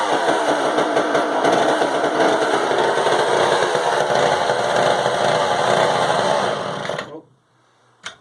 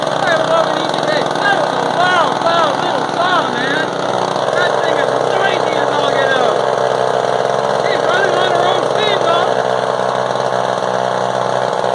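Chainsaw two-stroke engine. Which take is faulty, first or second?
first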